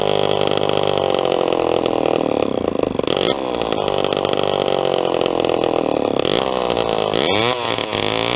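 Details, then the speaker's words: Vintage Homelite XP1020 chainsaw with a new fuel line and a carburettor that sat a long time: revs rise and fall unevenly and the note wavers instead of holding clean; running rough, owner suspects the carb needs a rebuild kit, not an air leak. "It's got some balls, I can tell that. Carb's not quite right. I don't think it's air. It's not getting air, but I think the carburetor needs a kit, to be honest with you."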